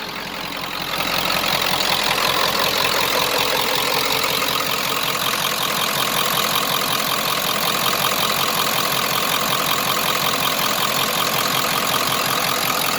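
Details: 1995 Ford F250 7.3 Powerstroke, about 180,000 miles, stock, Royal Purple oil, started after a glow plug cycle: steady diesel clatter at idle with a loud, even exhaust note, no smoke or check engine lights; healthy idle.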